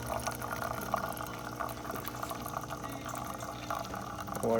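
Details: Saeco espresso machine after a tune-up and door hinge replacement, serviced for a grinding and scraping noise: the hot water function gives a soft, steady hiss and trickle with light pump hum and no scraping. Normal dispensing.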